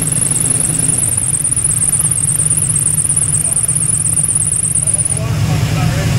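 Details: El Camino V8, already hot, deep fairly even idle rumble with steady firing and a thin high chirp over it for five seconds; engine running smoothly.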